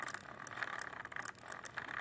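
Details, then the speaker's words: Slash 4x4 RC, turned by hand after a spur gear swap: a light, uneven gritty rattle in bursts, felt snagging in the driveline near the spur and clutch eliminator. Constant grinding and binding; rear diff suspected. "I could definitely feel it in the drive lines almost like it snags a little bit in the freezer you could definitely hear that constant grind and binding song and it's coming right from the pain get right there by the spur the clutch eliminator"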